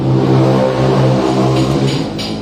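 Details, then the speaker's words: Daihatsu Sigra petrol engine running with a loud, rough snoring drone from the engine bay: the AC compressor's magnetic clutch has failed, possibly from a seizing compressor. "Ee iki dari magnetic lat asin iki sampun jebol, Pak."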